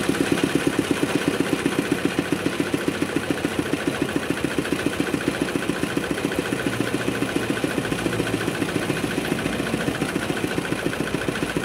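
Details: Kubota RD65DIS single-cylinder diesel driving a soil/clay grinder after cylinder head refit and timing check: smoke gone, steady thump about 214 beats a minute with a slight rough gnarl from worn engine gears.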